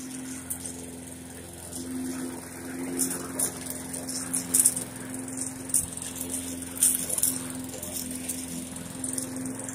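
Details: Briggs & Stratton 450e series mower that ran then died, after carburetor replacement: steady even hum at constant pitch, no surging, sputtering or dying out; engine running smoothly.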